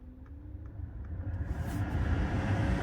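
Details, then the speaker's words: 2012 BMW 3 Series F30 cabin blower after removing leaf debris from the fan, which caused a vibrating noise at high blower speed, and replacing the cabin filter: smooth low whoosh climbing steadily, no rattle, flutter or scraping; fixed. "Look at that. That's how it should sound."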